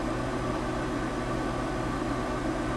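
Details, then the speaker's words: Boat air conditioner, one 16K unit, running off the generator: an even rush of air and low hum with no rattles, surging or cycling. Normal running. "Of course, that noise you hear is the generator running. There's our AC running off the generator."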